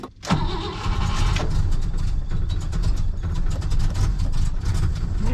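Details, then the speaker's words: 1959 Oldsmobile Dynamic 88 that sat for years, cold start at about 60°F with the choke set fully shut: cranks briefly, catches, then lumpy uneven idle; probably over-choked and dumping fuel, then clears out. "maybe choked a little too much for a cold day yeah it's uh it's dumping fuel what fired right up there it is cleared it out"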